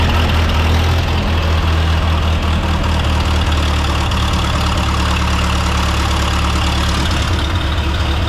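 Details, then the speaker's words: 1929 Austin Heavy 12, 95-year-old engine running after adjustments, recorded without external microphones: low even putter, steady exhaust pulses, no misses or knocks, good oil pressure; vacuum fuel pump believed drawing from the tank. "he so we've got good oil pressure the smell is absolutely superb it sounds amazing so I thought we were going to have to abandon this for today but it's it's running"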